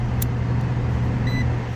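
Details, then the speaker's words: Heating system after burnt wiring was repaired and a new contactor fitted, started in heat mode with heat strips drawing 17 amps. Steady low hum and even airflow rush, no rattles or scraping; normal blower operation. "all right i just got the disconnect in i heard it click on blowers on so"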